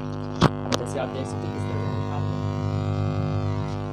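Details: 4440 IC amplifier: constant low mains hum drone with a couple of clicks at the start, persisting even with the body earth wire attached; caused by a resistor shorted to earth on the board.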